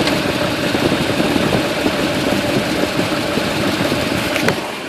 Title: 2uz-fe strange knocking sound.